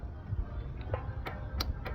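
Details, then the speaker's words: Cub Cadet zero-turn mower, after repairing a rubbed-through wire; sharp clicks from the carburetor fuel solenoid as the key turns, confirming 12 volts. Normal solenoid click. "you hear it clicky clicky when I rotate the key switch. So that's good. We got 12 volts there."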